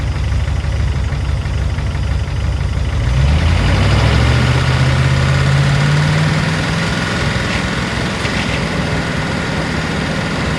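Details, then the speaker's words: Range Rover P38 V8, sticking valve or lifter after sitting the winter, warm idle: light, fairly regular tick over the rumble, quieter when first started. Owner suspects lifters; valve train ticking. "Now that it's starting to warm up, you can hear the ticking from the lifters. So, didn't hear it as much when I first started her up, but hope the mic is picking this up."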